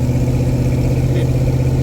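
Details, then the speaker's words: LT1 V8-swapped Jeep YJ back running after no-spark repair, jumper-wired to the battery, true duals with small side mufflers: deep, steady, even idle with no misses or knocks; alternator still not charging (11.7 V). "Got it back up and running. Just got it wired, kind of jumper wired over to the battery. Run. Sounds good."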